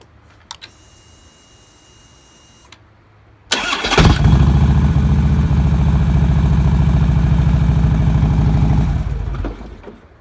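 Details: 2009 Harley-Davidson Road King after a starter clutch replacement for a horrible starter noise, fully reassembled. Brief clean crank, the V-twin catches at once with no grinding and settles to an even, lumpy idle: healthy start.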